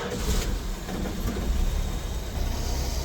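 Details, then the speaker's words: 1967 Plymouth Barracuda with engine running and heater core unhooked: the heater blower motor gives a deep, rough droning rumble that wavers, too loud for a healthy fan. Shaft may need lube. Noisy blower motor. "Yep, it's a blower motor."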